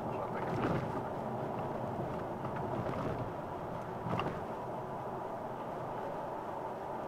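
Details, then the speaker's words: Vauxhall Vectra GSI 3.2 V6 driving a rough back road: deep rumbling thumps at each bump over steady road noise, loudest on a couple of hard hits; rumble over bumps, occupants say something is wrong and needs fixing. "Seems quiet enough in this bit of the road, but see, and see, you get all the bumps and stuff making noises."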